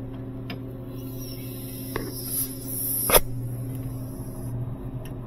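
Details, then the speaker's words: Sub-Zero 427R wine system after high-side freon leak repair and switching valve replacement: steady low compressor hum with a couple of handling clicks, temperatures dropping; normal compressor running. "okay temperatures dropping down that's great good to go"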